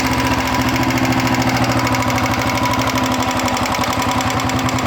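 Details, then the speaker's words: Royal Enfield Bullet 350 Electra single-cylinder idling after oil passages cleaned: light regular ticking about three per second that speeds up and slows with engine rpm, quieter than before; tappet noise remains. "जो टक टक टक टक टक आवाज आ रहा है इसमें इंजन के साथ अगर इंजन फास्ट कर रहे है तो फास्ट आवाज आ रहा है स्लो कर रहे तोलो आवाज आ रहा है"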